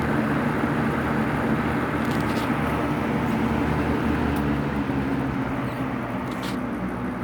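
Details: Vintage Superelectric two-speed box fan with a 2.8 A Superior Electric motor (model 2000) running on high: a steady, even whoosh with a smooth low hum, no ticking, rubbing or wobble; it runs cleanly.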